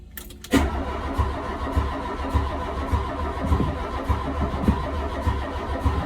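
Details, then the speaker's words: 1983 VW MK1 GTI barn find sitting 20 years in Arizona with messy wiring: slow regular cranking under two beats a second, never fires; spark present, but injectors clogged, probably from sitting 20 years with old gas. "so now that I know we have spark the next thing to check for is fuel and it turns out the fuel injectors are completely clogged probably because they've been sitting for 20 years and old gas"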